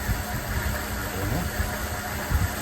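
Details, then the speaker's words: 1979 Lincoln Continental Mark V, first start after installing pushrods and lifters: uneven lumpy idle with irregular low thumps, missing badly and smoking heavily. "we had started the car after putting in the push rods and lifters, and it seemed good, but it wasn't. Uh it was missing badly. It was smoking like a banshee."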